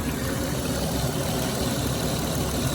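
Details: 2006 Dodge Grand Caravan 3.3 L V6 after water pump replacement (old pump leaked onto belt, failing bearing caused belt squeal and overheating), fresh coolant, heat on, gauge near half, thermostat opening: steady, even warm idle, smooth drone, no squeal; normal.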